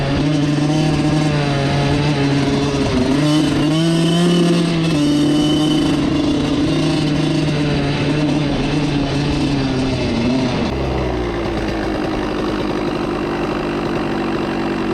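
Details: Suzuki RM85 two-stroke dirt bike bogging again after wheelies: a strong high rev, then around ten seconds the pitch sags to a low, flat drone under throttle; the owner suspects the carb, overheating or not revving fully in each gear, all unconfirmed.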